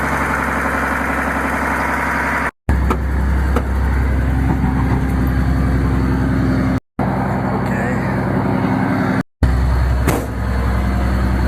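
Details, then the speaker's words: Grandfather's old truck, new battery, just started cold with ether: steady low idle with an even rumble, no knocks or misses between short dropouts; normal idle. "There it goes. Still runs pretty good."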